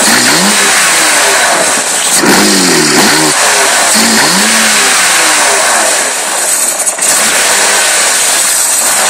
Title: M3 evo e36 rough idle